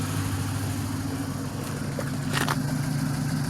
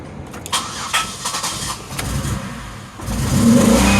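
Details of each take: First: Pontiac Grand Prix V6, exhaust idling about 850 rpm: low, steady, even rumble with no misses, sounds much better after fixes; downstream O2 sensor was disconnected, still smells gas. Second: 2006 Pontiac Grand Prix V6 after new engine and transmission swap: cranks and settles into a lumpy, uneven idle misfire, car shaking; owner rules out throttle position, throttle body clicking; PCV valve had been left unplugged.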